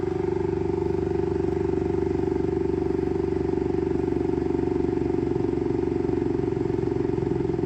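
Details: Saturn Ultra 4 16K resin printer at print start: a steady motor hum with a quick knock about four times a second as the build platform keeps climbing, before it resets and begins printing; platform knocking at print start.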